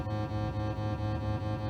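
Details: 1964 Fender Deluxe Reverb tube amp barn-find restoration, after tremolo circuit repair, into 8-ohm shop speaker with footswitch shorted, intensity turned up; steady test tone pulsing evenly about four times a second; tremolo working normally.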